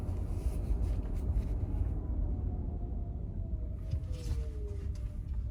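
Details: 2023 Genesis GV60, around 46°F in Alabama: slow driveway test drive after felt tape was wrapped around the hatch's four alignment points; only low road rumble, no knocking or rattling; the cold-weather rear hatch noise is fixed.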